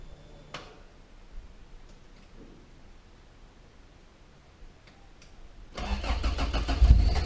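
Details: Toyota Corolla with 4AGE swap, just fitted in-tank fuel pump, cool morning, no cold start system: quiet, then cranks, catches within about six seconds and runs evenly, no leaks, pump barely audible; healthy start.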